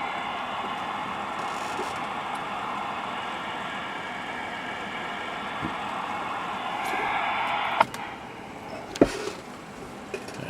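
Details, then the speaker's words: Cobra 2000 CB radio with no receive light and stuck meters, fed strong RF generator signal: steady even unbroken hiss where strong signal should be quiet; receiver hiss on strong signal, noise not suppressed, cause unconfirmed. "but I know you can hear that white noise now there shouldn't be any noise it should just be strong quiet"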